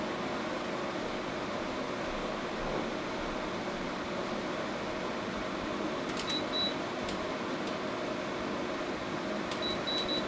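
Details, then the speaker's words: 5,000 BTU window air conditioner, about 10 feet away, temperature being lowered for compressor start: soft even fan rush, faint steady hum and a few control beeps; running normally. "So that's as much noise as it makes when it's in operation. It's probably a little bit quieter than the other unit, but this is also a 3,000 BTU smaller, and it has a much smaller fan in it."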